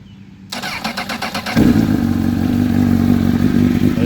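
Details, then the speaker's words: Cold start of a 2006 Honda CBR1000RR with 17,386 miles, HMF slip-on and K&N filters: brief starter whir, catches at once and settles into a steady, even idle with no misfires or knocks. "is a cold start, just to show you. I meant to grab the headers before. This is a cold start."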